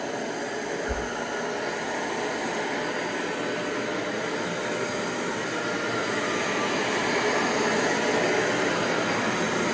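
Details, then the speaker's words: Clean Obsessed CO203 dual-motor upright commercial vacuum running with the brush roll power nozzle engaged: steady, even motor roar with a constant airy hiss, no catches or rattles; healthy, with a power-nozzle sound likened to Electrolux. "And anybody familiar with Electrolux might recognize the sound of that that power nozzle."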